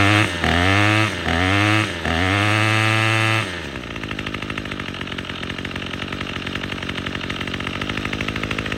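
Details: Troy-Bilt TB22EC string trimmer, after replacing an old primer bulb to fix a no-start from sitting: a few sharp revs, then a steady high buzz without stumbling; running properly.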